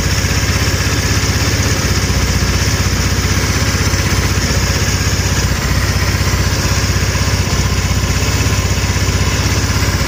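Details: GY6 150cc 157QMJ scooter, 1,567 miles, after valve cover gasket replacement: smooth, even single-cylinder putter at steady idle with no misses or ticking and no leaks; normal idle.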